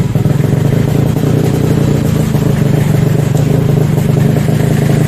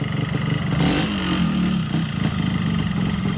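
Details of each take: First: Yamaha RX-King two-stroke motorcycle serviced for rough engine noise: steady, busy drone holds even speed without stumbling or misfires, running normally. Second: Yamaha RX-King two-stroke with rough engine noise: an uneven knocking beneath the buzzy exhaust is heard as a worn connecting rod; engine to be torn down with con-rod replacement expected.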